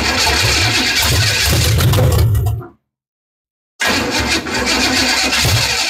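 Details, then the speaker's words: 327 small-block Chevy V8 in rat rod after engine swap, 50 psi oil pressure: loud lumpy idle with uneven beat and occasional intake pops; misfire on a cylinder or two suspected, firing order being checked. "almost sounds like it's got a miss or something going on I I thought so too it runs sounds decent I don't hear any like stupid noises"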